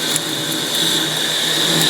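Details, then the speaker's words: Lathe boring an aluminium geophone encasement, tool speed a little fast: steady high-pitched squeal over the cutting noise throughout the pass. Cause suspected, not confirmed. "Oh No maybe this would be an inadvisable job at a minute listen to this squealing slow you down come on mama and it's a little fast"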